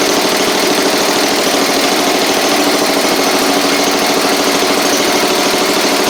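Steady, buzzy single-cylinder drone at constant speed with no surging or knocking; the small tractor engine runs fine.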